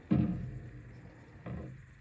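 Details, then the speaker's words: 2011 Ford Explorer, steering turned left or right while stationary: two deep hollow clunks about 1.3 s apart as the rusty front coil spring twitches and catches in its mount; grabbing the spring muffles it; strut and spring assembly to be replaced. "you can kind of see it twitching when that noise happens and if I grab it I can muffle that noise a ton because it's the vibration in that spring causing that Doom noise and I can feel it twitch right there"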